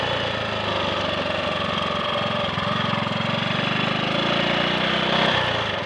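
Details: Triumph Sports Cub single-cylinder on a road run after fuel-tank rust clean-out and protruded-electrode plug: brisk even thump as revs rise, never skipping or stuttering, no conking out at full throttle; slight hesitation at 1/2–3/4 throttle, owner suspects crud on the carb needle.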